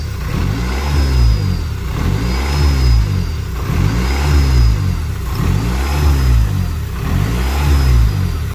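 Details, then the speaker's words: C5 engine: revved in swells about every 1.4 seconds, with a thin high whistle riding each rev; an intake leak is suspected. "We are still getting that whistling noise from the motor. It's definitely vacuum related. It has to be vacuum related."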